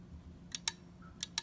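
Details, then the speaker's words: Main relay control board from a Maytag wall oven, relay coil fed 3 V DC on the bench: two sharp clicks, a pause, then two more as the relay pulls in and drops out cleanly; relay working properly. "you're gonna hear that noise did you hear that it makes that clicking noise"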